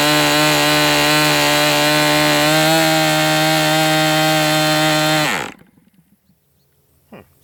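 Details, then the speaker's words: MDS 68 FS Pro four-stroke glow model engine, early break-in, high-speed needle set to 2.5 turns open. Holds one flat buzzing pitch, never climbing, then sags and cuts out; rich stall. Owner wonders if the glow plug is to blame. "That's interesting. It wasn't sounding like it was going, you know, really picking up RPM. It just died. I wonder if it's this plug."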